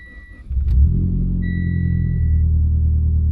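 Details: Mitsubishi Evo X rebuilt motor restarted warm after being held at 2,000–3,000 RPM, checking whether the oil pressure light returns (owner suspects a faulty sensor): warning chime, quick crank, then an even, steady low idle with no knocks or ticking; normal warm start.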